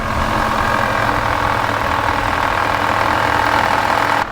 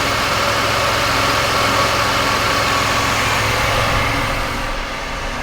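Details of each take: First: Jeep engine bay at idle: constant whining hum holding its pitch; with serpentine belt removed and pulleys spun by hand, traced to worn power steering pump bearing, before pump replacement. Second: Jeep after power steering pump replacement, with belt and pulleys refitted and the rack cycled to bleed air: an even, steady idle with no knock, whine or squeal, a normal idle.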